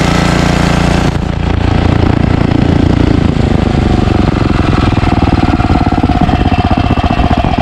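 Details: Ariens ST1128 28" snowblower, 11HP Tecumseh Snow King engine, cold day, started on choke after carburetor cleaning and pilot jet fix for surging. With an apparently ~5HP carburetor, a brief rough start settles into a steady, even beat with no rise and fall: normal running.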